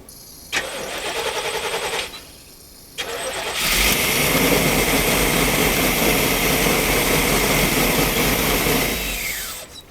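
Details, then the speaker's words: 1992 Chevrolet P30 RV, TBI 454, on an improvised fuel supply: two cranks, then it catches, runs ragged with uneven pulses and dies. Fuel pressure is below the needed 9–13 psi; the fuel pressure regulator is to be inspected. "so we're we're needing between 9 and 13 on a throttle body system and you can see that's about all coming out the return we have not got enough fuel pressure for this to run right"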